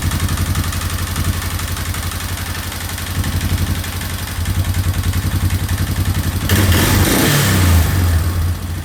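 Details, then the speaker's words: Free single-cylinder quad first run after cleaning, oil poured in, excessively high idle turned down; steady thumping idle then clean rev rising and falling freely without stumbling, loud but healthy. "And I can actually rev it now. So, Sounds like a warrior. I mean, they're not quiet, so I think we are good."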